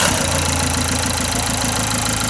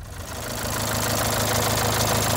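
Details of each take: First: Renault Symbol with a fully rebuilt engine, tested after a part change: steady, even idle with a smooth low hum and no slap or rattle from the belt side; the engine sounds settled and normal. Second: Renault Symbol, engine fully rebuilt a month earlier, then strange ticking: failed timing belt tensioner bearing let the belt jump a tooth, so the engine picks up from idle into a rough, buzzing, vibrating run.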